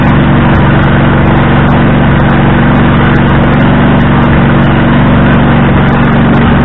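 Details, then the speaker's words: Husqvarna riding tractor, running again after a no-crank condition, with heads previously off: loud, raw, steady roar with a harsh rasp and no muffling; the exhaust is broken from years of impact damage, left unrepaired. "so and yes the exhaust is broke i do not care to fix it the quiets up over time"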